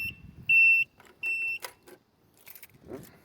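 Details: Dixie mower with 793 hours, key on: three high warning beeps, one short and two about a third of a second long, amid key jingle; cause of the warning buzzer unknown.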